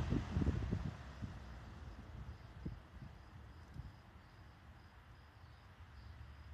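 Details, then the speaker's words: Vintage Emerson box fan after restoration, reassembled and oiled, spin-down after running on low: low whir fades steadily over several seconds with no scraping, ticking or wobble; decent, healthy spin-down. "Decent spin down. And that's from low."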